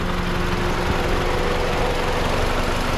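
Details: Mazdaspeed6 with a rebuilt engine, running after its first oil change: a steady low idle with a faint slow rise and fall, described as a little RPM bouncing at idle. Otherwise healthy; a leaking turret seal is noted separately.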